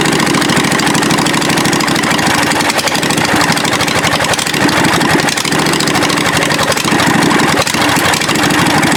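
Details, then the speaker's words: Murray riding mower, 22 hp twin engine: loud, even, deep-toned running with steady beat and no misses; firing cleanly on both cylinders. "hopefully on two cylinders so here we go let's see if it sounds like a twin definitely got a deeper tone"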